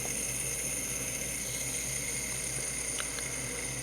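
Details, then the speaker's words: Shimano Citica baitcasting reel after replacing stock spool bearings with Boca orange-seal ceramic ABEC 7 bearings: free spool spin gives quiet, steady high-pitched whir with no grinding, spinning about 12–13 seconds longer than stock. "spin it and see how long it spins. That's a big difference. That's probably like 12, 13 seconds over the stock ones."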